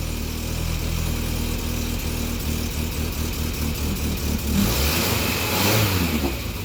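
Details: 1961 Morris Minor 1000 Traveller four-cylinder petrol engine just started after head gasket replacement, cold: catches and settles into a steady, slightly uneven fast idle with a light blip; running normally, head re-torque pending once warm.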